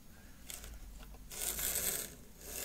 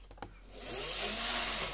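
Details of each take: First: Lima Class 55 Deltic model loco running on DC before teardown and cleaning: thin high motor whir surges and drops out in uneven bursts, loco jerking and stalling at track end; poor electrical pickup suspected. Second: Cleaned and oiled Lima Class 55 Deltic model locomotive, no stay-alive, only three front axles powered, running fast. The motor whirs up to an even high-pitched run and fades, no stutter or stall; normal running.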